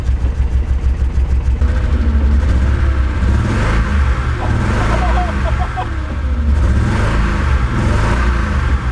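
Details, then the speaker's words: Toyota Celica Supra 5M-GE with low compression, running on about 2.5 cylinders, suspected blown head gasket, heavy black smoke: rough, lumpy revving with uneven stumbling beat and deep choppy exhaust; misfire, sounds worse than when driven home. "Alright, so here's what the car sounds like, and here's how we drove it home with low compression. It sounds worse than it did when we brought it home."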